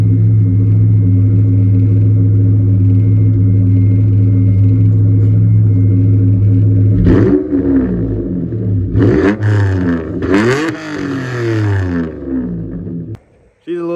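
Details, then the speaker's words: Mitsubishi 3000GT after chassis swap with engine, transmission and tank moved over; smooth deep idle, then throttle blips with a harsh raspy edge; nearly straight-piped from downpipe to a dual-tip muffler, believed Flowmaster, resonators planned. "raspy but I'm going to get that fixed up soon"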